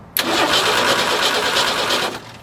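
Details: Forklift under rebuild, transmission in neutral, fuel pump switched on manually: starter spins the engine steadily about two seconds with no firing or catch, then stops; no fuel supply, later helped with starter fluid.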